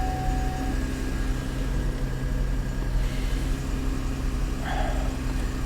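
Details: Salvage auction car with about 52,000 miles, jump-started on a cold day: steady, even idle hum with low drone, no knocks, misses or hunting; runs smoothly.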